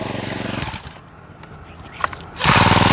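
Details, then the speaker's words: Honda GX35 brush cutter after full engine rebuild, with new handle set, harness loop and carburetor: buzzes evenly, is switched off, then restarts at once and settles into a smooth steady run, ready for use. "นะอย่างสวยเลยนะครับพร้อมใช้งานลองปิดสวิตช์แล้วสตาร์ทอีก"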